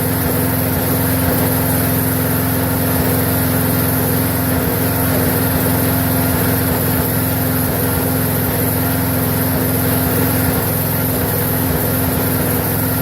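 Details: Briggs & Stratton 4.75 hp single-cylinder engine, possibly a Craftsman, that previously didn't run: steady, even chug holding constant speed with no misses or surging; running normally in an endurance run test.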